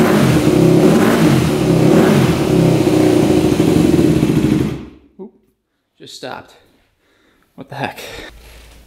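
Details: Rebuilt 2001 Yamaha WR250F street-legal single-cylinder that would not restart after being shut off. It fires on the kickstart, revs raggedly for a few seconds, then dies. Owner suspects the machined valves are not seating fully; not confirmed.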